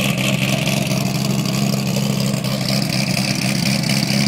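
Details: 2008 Corvette coupe, cammed LS3, LG street series headers, high-flow cats, NPP dual-mode exhaust, cold start after an exhaust leak fix: loud, lumpy burble in loud mode before going quiet, with no ticking or puffing from a leak.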